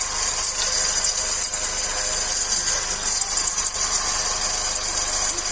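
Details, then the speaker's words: G5 (2008/2009) engine idling with a high-pitched hiss and rattle at the belt end. The power steering pump and alternator were ruled out and it was traced to a worn belt tensioner pulley bearing. "agora é o rolamento do tensionador"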